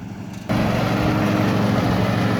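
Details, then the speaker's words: Riding lawn mower after new blade install, blades engaged: steady small-engine drone with irregular metallic clanking, caused by an off-level mower deck; leveling the deck eliminated the noise. "So you think it's because the deck is off level? Yep."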